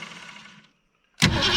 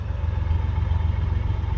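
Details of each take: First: Old car, first start in many years, gas poured into the carburetor from the top. Cranking fades and drops out each time it tries to fire, then it catches and roars. The old starter is disengaging (jumping out) during cranking. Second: Car with a V8 after an engine rebuild; it had been smoking under the hood earlier. Deep even idle, then crisp throttle blips that rise and fall cleanly with no misses or knocks. Normal revving, sweet-running engine.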